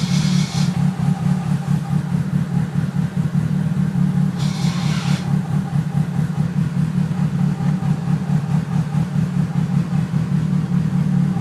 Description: Awful noise after clutch install is this normal??? It only happens when the pedal is pressed.